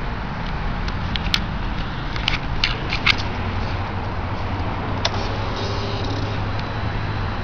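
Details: Suzuki Gladius with a Two Brothers aftermarket exhaust at idle: a deep, steady idle with sharp, irregular crackles and pops every second or two; the cause of the crackling is unknown to the owner.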